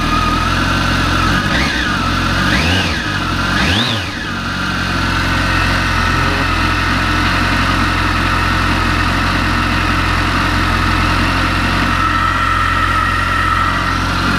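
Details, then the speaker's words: Kawasaki ZX14/ZZR1400 that had a knocking engine, after fitting a mechanical cam chain tensioner in place of the stuck original, cold weather, not yet warmed: blips, then a steady idle with a faint whine, no knocking. "нічого не стучить Ну треба щоб він прогрівся зараз на вулиці дуже холодно"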